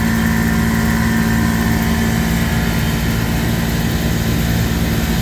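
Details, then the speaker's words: Three-phase walk-in cooler compressor, skipped maintenance: loud steady hum with rough pulsing drone drawing 15 amps, not pumping well, then locked-rotor at 19 amps with proper voltage; compressor failed. "I mean it sounds loud let's let's see if it calms down or if it goes off on thermal overload again definitely sounds rough but we do have compression"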